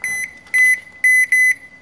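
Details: Toshiba washing machine: four sharp, high beeps in quick succession in a quiet room. This is door lock error code E2-3, a door lock signal fault.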